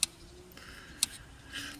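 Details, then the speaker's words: Jaguar XKR (X100) throttle body with the engine off, before taking a large amount of slack out of the throttle cable: two sharp, crisp clicks as the plastic cam snaps back onto its idle stop. This rest-position click is normal and must remain. "and if you can hear that clicking if you can hear that so the click that's in its rest position so it's still got to be able to do that"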